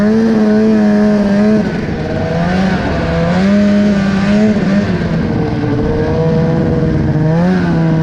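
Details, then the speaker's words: Polaris snowmobile just repaired, riding over two feet of fresh snow in Minnesota, recorded on GoPro: the note wavers and sags instead of climbing under load, down on power; bogging. "so I'm really not sure how well you can hear it on the GoPro itself but it's just it's like it doesn't have the same amount of power a little bit boggy"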